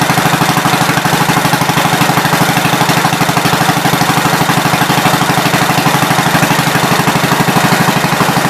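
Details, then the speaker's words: 1970 Gravely Commercial 8 after sitting a few years, after adding a washer under a replaced recoil bolt that had been hitting: single cylinder chugs evenly, about three pulses a second, no metallic strike; running clean. "okay it's not hitting anymore exactly where i want it"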